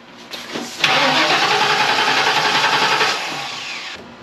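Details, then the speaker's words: 1994 Ford Mustang GT, not started in six years, suspected bad gas: short crank, then it catches and runs a couple of seconds on starter fluid sprayed into the throttle body before fading; no fuel delivery, fuel pump is bad. "so if it's got fuel it's gonna start and that's gonna run we don't know for how we don't know what other problems we're gonna have but for sure um fuel pump is bad"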